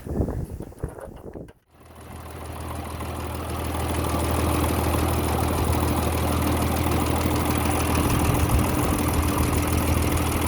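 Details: M35A2 diesel after cylinder liner repair, rocker assembly reinstalled and final valve clearance adjustment: catches after a short crank and settles into a steady idle with even clatter near three beats per second; normal.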